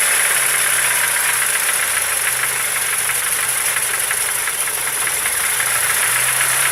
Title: Стук в двигателе